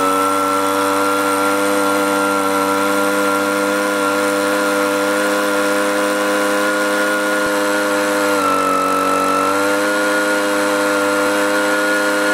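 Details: Echo two-stroke blower, four-month-old aftermarket carburetor, low-speed screw turned out a quarter turn: high steady buzz sags for about a second then recovers; bogging, likely from a debris particle near the needle valve plugging a carburetor port.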